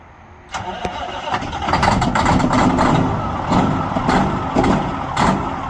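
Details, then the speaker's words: A Peterbilt 379 that sat almost a week, started for the first time in this cold (about 38°F in Georgia, wind chill below freezing). It catches after a brief crank, then runs ragged and lumpy. Rough cold start. "We're gonna see what she does with a cold start. All right, light her off, buddy."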